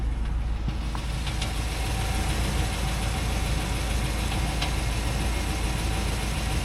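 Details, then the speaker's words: Truck engine at idle, owner's only vehicle: a light, fairly quick, somewhat uneven tick like a small drum beating over a steady idle rumble; the owner is worried and the source is unknown. "ticking. What is that little drum in it that it's doing? A drum beating."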